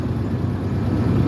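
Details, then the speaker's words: 1996 Ford F250 light duty, 326,000 miles, before repair, P1351 code pointing to an incorrect ignition control module: starts readily but lumpy uneven idle that keeps stumbling and dropping out; misfire at idle, worse under load. "so it'll crank right up like so but did you hear that it's misfiring at idle yep there it went so it it tries to"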